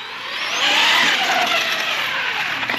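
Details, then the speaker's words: Arrma Big Rock 6S RC truck after firmware update and rebinding: clean electric motor whine climbing smoothly with full trigger pulls and fading on release, no stutter or cut-outs; drive sounds healthy. "it's rolling nice and smooth those are full trigger pulls"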